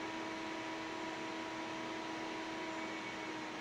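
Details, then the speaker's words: Anker SOLIX F3000 loaded well over its 3600 W rating (about 140 W over, then another 100 W added): loud, steady fan rush with a constant whine as it throttles, output dropping to 104 volts. Cooling fan straining under overload. "Ah, I can I can hear it struggling. Apparently, it's throttling us cuz it actually dropped."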